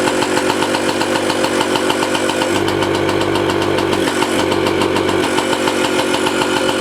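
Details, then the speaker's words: 1985 Yamaha QT50 scooter after its carburetor jets were cleaned. At full throttle, a steady rattling idle swells into a loud intake roar but never gains revs, bogs or dies. The cause was the ignition key in the wrong position. "but yeah full throttle it says but it doesn't go any ribs and it doesn't die or bog or anything it's just the needle's sliding the piston is moving in the uh carburetor with the needle you hear big intake but no reps"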